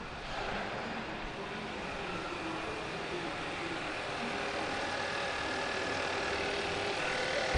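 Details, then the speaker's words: 2015 Hyundai Santa Fe 2.0L turbo, first start after short block replacement: steady, even hum with no knocking or misfiring and no engine lights; running normally. "knocking no misfiring no engine lights on I'm gonna let this thing sit and run for a little bit"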